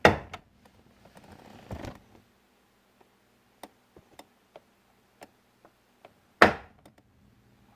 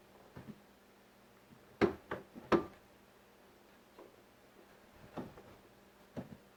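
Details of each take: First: 2001 Chevy Silverado driver's door check, rubber boot missing and hopping around: sharp single clunks and ticks each door swing, loose and irregular; worn door check clunking, needs replacement. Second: 2001 Chevy Silverado driver's door after door check replacement: soft, firm clicks as the door settles into each stop, no creak or pop, much quieter with solid detents; door check working normally.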